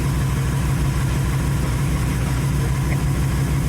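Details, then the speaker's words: 1931 Ford Model A Coupe hot rod with carburetor refitted, first run since November: steady, even low idle with regular firing pulses and no knocks or misses. Normal idle. "first time running since [Music] November I have a fantastic automobile right here"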